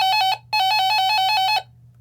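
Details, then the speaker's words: Radio Shack 12-240 weather radio alert tone: loud, rapid, high-pitched beeps at about eight per second, with a short break after the first three; the normal alert signal, fairly loud. "It's fairly loud."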